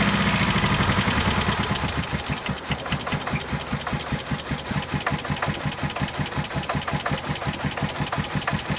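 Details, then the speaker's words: Ford Festiva sat three years. After a noisy start it runs unevenly with a lumpy, stumbling beat of nearly three pulses a second. Rough running; the owner suspects three-year-old gas. "well there you have it it runs terrible I think it's the three year old gasps"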